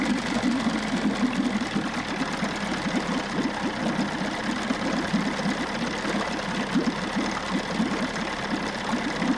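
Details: 1994 Johnson 6 hp two-stroke outboard, thermostat removed and now running cooler, pumping good water and shifting forward and reverse. Steady, slightly uneven fast putter at idle. Normal running; new thermostat to be ordered.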